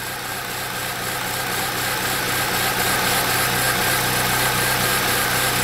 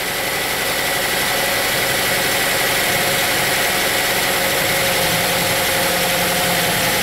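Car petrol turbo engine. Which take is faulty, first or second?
second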